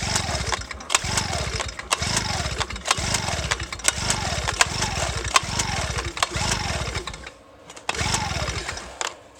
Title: 2 stroke Genny won't start